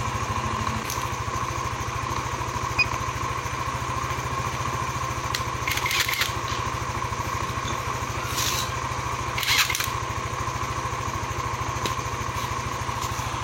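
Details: Yamaha NMAX 155 (old model) single-cylinder scooter after repair of error code 61 (ISC fault). Settles into a steady, even idle with a regular putter, no misses or rattles: normal idle.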